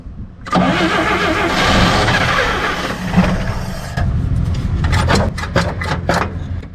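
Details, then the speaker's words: 1958 Chevy Apache, first start after 20 years sitting, choke locked up, run at half throttle. Starter cranks steadily; the engine catches in a brief ragged burst, then dies back to cranking and drains the battery. Crank, no start; cause not yet found. "okay okay that doesn't want to do anything well let me figure it out now we're killing the battery"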